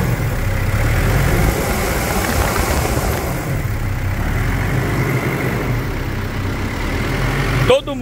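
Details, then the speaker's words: Mitsubishi Pajero Full 3.2 4M41 diesel at idle before the external belts were replaced: a thin, steady, high squeal from the AC and alternator belts over the engine rumble. "conhece esse barulho esse ruído esse Silvo um verdadeiro Silvo de correias não é mesmo"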